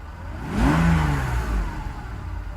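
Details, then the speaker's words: Mercedes SL600 V12 after mass airflow sensor wiring repair, stationary, heard from inside: throttle blip climbs smoothly and falls back to steady idle without hesitation; normal acceleration rev. "Ron stationary the idle is not jumping we get in just to show you how it runs inside rock steady idle as a smell out of the exhaust acceleration"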